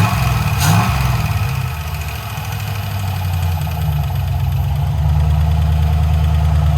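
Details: 1968 Ford Bronco with a Chevy LS swap at first start, 37 psi oil pressure: a V8 idles with quick light ticking over a steady rumble; the ticking was 4 bad lifters, since replaced. A possible exhaust leak was also suspected.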